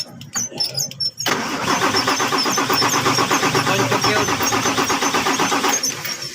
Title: Hard starting #truck